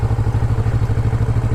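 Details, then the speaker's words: Motorcycle in first gear at about 8 mph, clutch fully out, very light throttle: steady even low thump about twelve pulses a second, no stumbling or jerking; normal clean low-speed pull. "I'm only doing about 8 miles an hour here and I'm just giving it just that I'm just pulling just enough on the throttle that I can feel a little tension behind the throttle"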